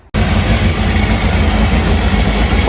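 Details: 1999 Kawasaki 600 with loss of power and bogging on acceleration, first fire-up on choke with battery on charger: steady, even idle with smooth low beat and no misses or stumbles; normal idle.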